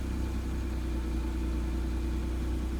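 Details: Acura/Honda NSX after Science of Speed oil relocation kit install to fix fluctuating oil pressure: smooth, low, steady idle hum, no ticks, knocks or hunting; oil pressure gauge jumps right up, success.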